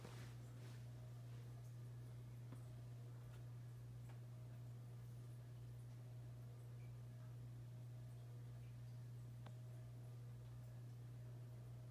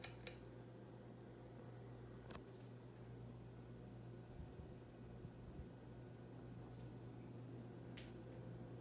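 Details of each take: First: 1895-model ceiling fan with metal flywheel and no rubber isolation, running nearby: steady low background hum with faint ticking; a characteristically noisy fan. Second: Hunter Original ceiling fan, stock three-speed, running on high: quiet, steady low hum with a soft rush of air and no ticks or wobble, a healthy fan.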